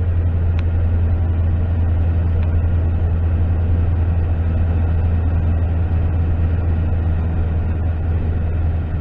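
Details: 2009 Toyota Tundra V8, 110,000 miles, after repairing rodent-chewed knock sensor wiring harness causing VSC, check engine, traction lights and limp mode: deep steady even idle, no misses, knocks or ticks; lights went off. Normal idle.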